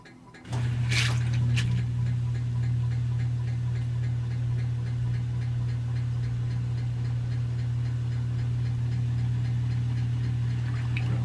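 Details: Samsung washing machine during rinse cycle, steady motor hum with fast regular light clicking about three to four a second, a new sound on the first load after a repair.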